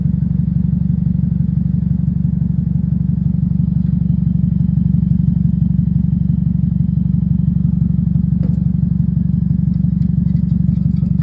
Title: Car is noisy with exhaust leak issue. Catalytic converter going to resonator. #automobile #mechanic